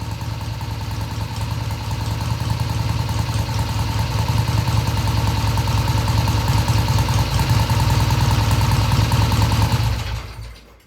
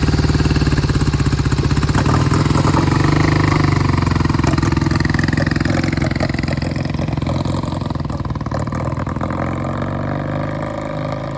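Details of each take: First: 1971 Triumph T120 650cc twin after carb adjustment of about an eighth turn: even idle picking up cleanly through mid-range with no stumble or hesitation; normal idle and smooth revving. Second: 1971 Triumph T120 650cc twin, cold start after long storage: lumpy, uneven idle that fades and stumbles as the left cylinder cuts in and out, blamed on clogged pilot jets; owner says it clears once warm.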